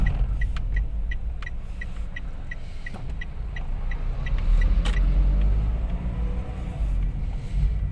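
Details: Toyota Wigo on a road test. Its clunk (lagutok) had persisted after an earlier shop replaced the stabilizer link and shock mounting. Steady low road rumble with light even ticking, no clunks or knocks over bumps; the suspension is quiet.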